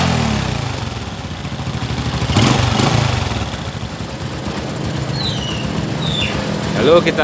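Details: Honda Supra 125 / Karisma single, first start after clutch plate replacement with exhaust refitted and oil refilled: steady, slightly uneven putter at idle amid street noise; normal healthy idle.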